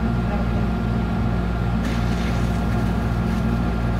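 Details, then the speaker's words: Bilge pump pumping water from the keel of a boat with a leaking dripless shaft seal: steady low motor hum, faint whine and gurgling as the water drops; the float switch is shown to be non-operational. "you can hear the bilge pump running you saw the white box became uncovered and you hear it gurgling let it run for a couple more gargles"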